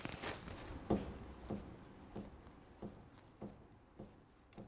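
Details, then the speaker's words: RA28 fastback Toyota Celica front left steering, linkage rocked by hand: faint, dull knocks about every half second; the pitman arm ball joint is worn and moving in its housing. "all right I don't know if you guys can hear that noise but again it's a fairly significant knock it feels like the ball joint is actually moving around in the housing"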